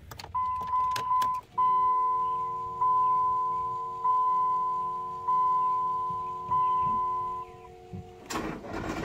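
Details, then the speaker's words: Cummins engine with a sticking starter freed by hammer blows: slow, labored cranking with a whirring starter, each compression dragging about once a second, barely turning over; failing starter, replacement bought. "one of you guys can hear that but it doesn't sound the healthiest not willing to turn over"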